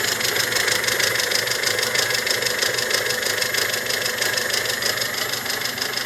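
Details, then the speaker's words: Mazda 626 engine at idle after the fan cycled: fast, even chatter of about three ticks a second, very strange, possibly a hydraulic lifter, unclear. Oil-like moisture seen between block and gearbox. Ticking at idle, source unclear. "Какой-то очень странный стрекот. То ли гидрокомпенсатор, то ли не он. Не очень понятно."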